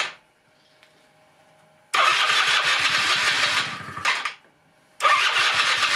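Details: 1996 Rexy 50 two-stroke scooter, barn find, first start after 13 years: buzzy high-pitched note picks up crisply, drops off, then fires again straight away, running on tank fuel and taking throttle; normal running.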